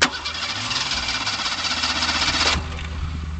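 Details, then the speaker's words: A car with its fuel pump disconnected cranks steadily for about two and a half seconds without firing after the remaining fuel pressure burned off. It is a crank-no-start because the fuel pump is off and there is no fuel pressure. "the after that the fuel pump turned off and it's not turning on because there's no fuel pressure"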